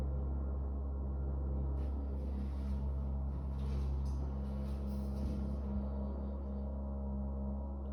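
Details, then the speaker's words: Apartment stairwell: a deep, steady droning hum with a faint buzzy rattle, felt as vibration through the handrail, seemingly coming from somewhere around floors 17–20, intermittent all day; cause unknown. "It's loud rattling. I have no idea how these other apartments don't hear that or haven't said anything yet if they can hear it."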